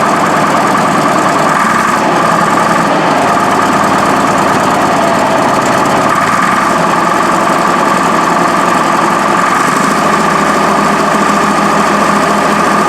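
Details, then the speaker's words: Cold Case 1150B crawler dozer diesel at about 40°F after replacing two broken injectors, started with ether: hard, uneven clatter and whine, idle stepping up and evening out; now has throttle but still smoky; rough cold running. "That's cleaner now. I think it's got to prime up some injectors. That's obviously it's got to warm up. I mean, it's so ice cold."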